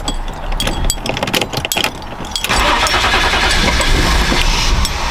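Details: BMW E34 wagon, fuel pump newly installed and hardwired, dead fuel pump relay found: starter churns unevenly for a couple of seconds, engine briefly catches with a rough surge but fails to keep running; crank, no start.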